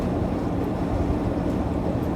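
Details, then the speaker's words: 1988 Pontiac Fiero GT 2.8 V6 just after an overdue tune-up, pulling in gear on the road: smooth, even low drone with no stumble, miss or knock under load; owner feels it gained a cylinder or two; slight exhaust leak remains. "yeah i'm not kidding you guys i feel like it picked up a cylinder or two to be honest wow it goes to show what a difference a tuna makes you know"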